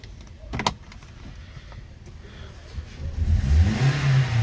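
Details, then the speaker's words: 2013 Toyota Corolla 1.8 16-valve flex-fuel with CNG, after alternator replacement: a few quiet clicks, then smooth revving and idle with no belt squeal, chirp or rattle. "alternador no lugar com veículo funcionando nova novo marcha lenta barulho nenhum"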